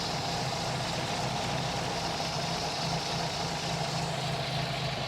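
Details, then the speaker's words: 1952 MG TD after timing set (about 7° initial, 29° total) and carburettors adjusted: smooth even idle around 850–900 rpm with no misses, knocks or hunting; sounds normal. "at least adjusted the idle because when you change the timing it's going to change the idle but that sounds pretty good we'll take that for now"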